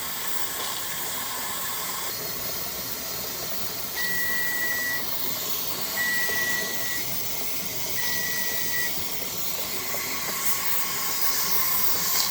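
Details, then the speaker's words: T-Fal 22-quart pressure canner on the stove, heating toward 10 pounds while canning potatoes: an even, airy hiss of venting steam with short beeps every couple of seconds; normal operation. "Yeah, you can see that steam, and you hear the noise. It's the noisy one."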